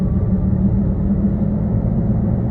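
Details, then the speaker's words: 2006 Nissan Altima on a test drive just under 60 mph: steady low droning hum under road noise, louder, like an airplane taking off, not going away; wheel bearing suspected, unconfirmed. "There is a wheel bearing type noise, and I don't know if you can hear that on the video. It's kind of, it's louder is what it is. It just kind of sounds like maybe an airplane taking off."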